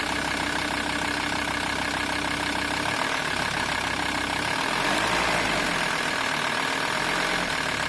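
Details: VW T4 2.5 TDI (AXL) diesel running at 1050-1100 rpm: a busy, uneven metallic clatter from the serpentine belt area. The belt tensioner pulley is suspected, not confirmed. Engine rattle.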